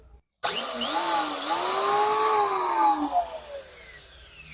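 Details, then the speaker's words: Richu electric planer being repaired for a loud noise at the front; after reassembly and fitting carbon brushes, the motor alone spins up to a clean steady whine and coasts down evenly with no rubbing or grinding, running normally. "oke suaranya tetap tetap baik untuk yang mesinnya"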